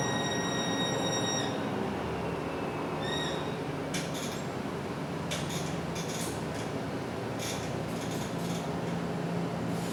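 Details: MAN NL323F A22 Gemilang bus on Service 171: a loud, high, steady whine with some squealing sits clearly above the running noise, audible inside and outside. It is an unusual abnormal whine; source unknown.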